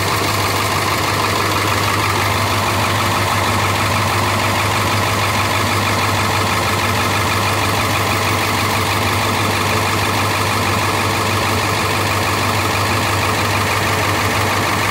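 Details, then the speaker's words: International T444E V8 diesel in a rear-engine bus, started at the rear: loud idle with hissy, puffing exhaust leaks and a slightly uneven beat; owner suspects a problem in one cylinder. "So we're going to start it up so you can hear this little T444E, and it's got a couple exhaust leaks, but see if you can pay attention."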